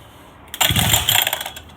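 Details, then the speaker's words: Go-kart small engine that sat for a long time, on its first start after a carburetor replacement: silence, then it pops and runs unevenly for under a second before fading out; it won't keep running and needs adjustment. "but from apart from that um it doesn't need a spring and doesn't want to keep going"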